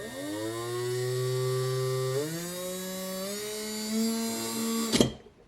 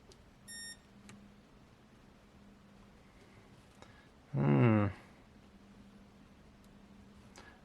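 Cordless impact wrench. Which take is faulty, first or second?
second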